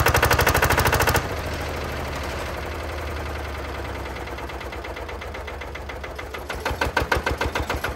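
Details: Lister single-cylinder diesel on Benford TS25 concrete buggy, hand-crank started using the compression valve: after cranking it fires and settles into a slow steady thump about three times a second; running healthily.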